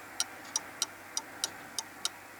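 Crisp tick-tock at about three per second with only slightly uneven spacing, so the clock is running close to in beat.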